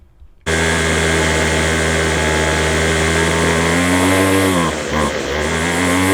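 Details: McCulloch 250C XL X-series two-stroke strimmer; it draws fuel poorly, and a carburettor diaphragm is suspected. It revs high and steady, then sags and nearly dies off throttle before catching, with no tick-over.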